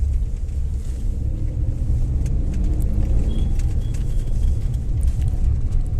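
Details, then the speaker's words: Maruti Suzuki Alto 800, driving after the repair of a vibration and rattle felt pulling away in first and reverse, traced to an axle: low, even road rumble with no clunks, rattles or knocks. "तो कोई आवाज नहीं है तो यह था छोटा सा लेकिन खतरनाक फॉल्ट जो जल्दी मिल रहा नहीं था"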